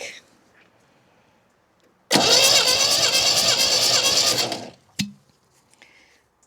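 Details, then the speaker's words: MGB engine, plugs out, compression test while cranking: starter cranks steadily about 2.5 s at roughly three beats a second; cylinders one and two 125 psi, three and four about 90 psi; head gasket problem suspected, not confirmed. "What about number four? Oh. Oh dear. Okay. Well, you're only on 75 80 85 90 at the back."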